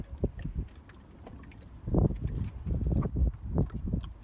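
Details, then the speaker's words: Car engine coolant system being refilled with antifreeze, bottom hose squeezed: irregular low bubbling and gurgling bursts as trapped air is pushed through the coolant. "can hear it gurgling is there another hose there too"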